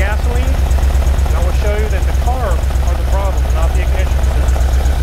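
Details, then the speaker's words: 1978 Ferrari 308 GTB V8 with the smog pump deleted, started in the engine bay. Cold idle with a lumpy, uneven beat and skipped pulses: it is not running on all eight cylinders. "You guys are going to notice that it's not running on all eight cylinders. You can hear it."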